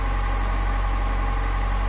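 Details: 3rd gen Honda Prelude, freshly rebuilt engine with about 200 miles, cold start: smooth, even hum at high cold fast idle, no ticking or knocking; engine healthy while warming up.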